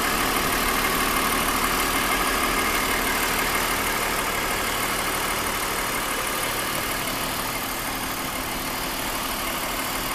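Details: 2001 BMW 530i M Sport (E39) at idle: steady idle with sharp, regular tick about three times a second; recently developed abnormal engine noise, cause still being investigated before repair.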